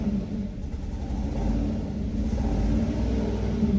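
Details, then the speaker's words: 2014 Dodge Dart 2.4L MultiAir with used junkyard brick, held at wide open throttle to stay running: rough, lumpy running with light rattly spark knock as rpm climbs; suspects some brick solenoids not pumped up. "I don't like that sound. That's a spark knock though."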